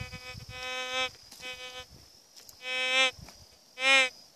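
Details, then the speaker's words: GMT metal detector swept over heavily mineralized ground and rock: buzzy warbling tones burst out about once a second. It is falsing on the mineralization. "pedro rocha longe ele pega pega tudo só que é bom mas não há terra mineralizada [Música] é muito mineralizado não presta"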